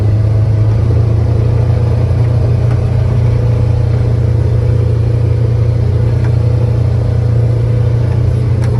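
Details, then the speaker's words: Polaris Ranger 900XP side-by-side after repair, driven in high gear. Smooth, steady drone with no rattle; it sounds much better and runs clean and healthy. "sounds good it sounds way better let's see what the temp's at"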